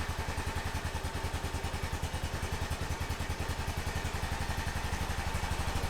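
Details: 2005 Honda TRX650 Rincon, 650cc single-cylinder four-stroke, just started cold on choke in neutral after a no-run condition: even thump about two beats a second, steady with no stumbling; carburetor feeding properly, healthy idle while warming.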